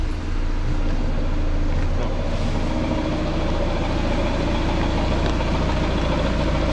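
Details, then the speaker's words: Seat Exeo 2.0 TDI diesel idling with a loose chattering rattle and knock over the engine drone from a worn dual mass flywheel. The noise goes silent when the clutch is pressed. The flywheel is to be replaced with a rigid flywheel and new clutch. "do stukanie jak je hałasowanie to jest właśnie to jest właśnie koło dwumasowe"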